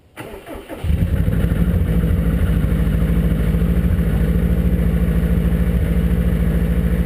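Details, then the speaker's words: 2002 Subaru WRX, EJ25 built 2.6L STi hybrid with forged internals, cold start in the morning around high 30s–40s °F: starter cranks, then cold idle with steady light ticking knock about three per second; piston slap when cold. "i have a good amount piston slap in the morning it's actually pretty loud when it's cold out"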